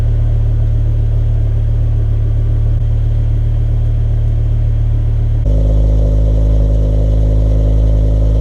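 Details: Warm idle of a BMW E60 M5 with the 507 hp S85 V10 and SMG 7-speed, exhaust and engine note sampled after warm-up for comparison with the loud cold start: smooth, deep, even rumble, no misses or ticks, steady burble; healthy.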